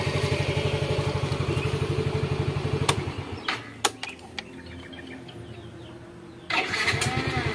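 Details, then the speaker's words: Yamaha X-Ride fuel-injected Blue Core scooter after throttle body cleaning: even idle putter, shut off, a few clicks, then fires instantly and settles straight back to a steady idle; starts easily. "Oke penyalaan mudah sip Jadi intinya di sini ya kalau kita punya scanner itu memang lebih mudah untuk melakukan penanganan ya bosku"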